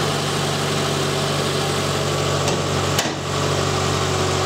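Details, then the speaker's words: 2010 Subaru Impreza, 150k miles, engine rebuilt with new head gaskets, that then threw a cylinder-one misfire code: after coil, plug and injector diagnosis it idles smoothly with a steady low hum and no stumble; normal idle. "i forgot to hit record there but as you can see the car is running well and we're all"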